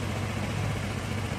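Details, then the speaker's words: Honda Vario carbureted scooter, previously sputtering (brebet), after carburetor reinstalled and vacuum fuel hose reconnected, started and kicked: quiet, steady idle with even low beat, no sputter or stumble; declared fixed before final adjustment. "Kalau sudah nyala, kita sambil diengkol ya, Teman-teman. Kita sambil engkol. Sembuh, Teman-teman. Sembuh, ya."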